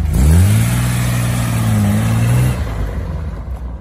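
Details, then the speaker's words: 1972 Datsun 240Z warm, choke now fully off after being left slightly pulled, which floods a hot engine: steady, even note settling from a blip to a clean, unlaboured run with no stumble; running properly. "cuando un coche está caliente el aire hay que retirarlo por completo, si no se ahoga. Entonces bueno, ahora está en su posición buena y se escucha bastante mejor."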